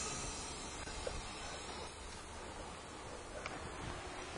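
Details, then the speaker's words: 2007 Jeep Commander with misfire, leak-down test with cylinder at top dead centre and compressed air applied: steady rushing hiss of air escaping into the cooling system immediately, confirming a blown head gasket. "oh yeah there it is for sure that is a blown head gasket folks all right that just took like less than a second as soon as I hooked up the compressed air you could you could hear that it was going to happen"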